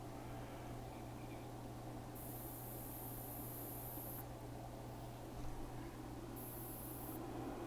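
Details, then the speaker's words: Kessler Crane camera-crane control box powered on the bench: quiet hum with a thin high hiss switching on for a second or two, coming from a MOSFET later measured at 250 degrees on the thermal camera; MOSFET toast. "i think that mosfet's bad it's making a weird i'll see if i can get close after i do this it's making like a weird hissing sound yeah that mosfet is toast"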